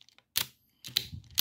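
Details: Passap knitting machine lock: three crisp, clean clicks about half a second apart as the levers snap over; mechanism moves freely with no binding.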